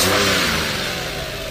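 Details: Car that would not start, after a faulty fuel pump and other faults were corrected, revved to about 3,000 rpm; strong clean rev easing off smoothly, no misfire or stumble, now running healthy.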